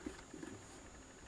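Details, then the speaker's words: New ZD-985 desoldering station heating toward a 350° setpoint and sucking: a faint, thin, constant high whine or hum from inside the unit while it runs. The source is unknown and the reviewer dislikes it. "so there's a wine there's a I don't like that let's open it up later"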